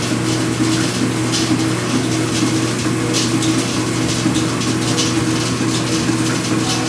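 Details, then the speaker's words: Speed Queen washer during agitation cycle (not spin): irregular metallic jingling like loose pennies over the steady hum; a washer on the dry spindle vibrates, fixed by greasing it, accessed from underneath. "it sounds like a bunch of coins or a bunch of pennies inside the machine rattling and it turns out that there's a washer that vibrates and jiggles around and if you put some grease on that washer it solves the issue"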